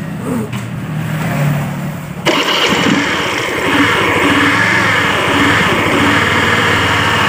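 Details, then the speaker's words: Honda Beat scooter with the air filter soaked in oil, oil suspected topped up with used oil: busy rough idle with loud fluttering, helicopter-like chatter; CVT or a bearing suspected, not confirmed. "ya suaranya sudah mirip dengan helikopter"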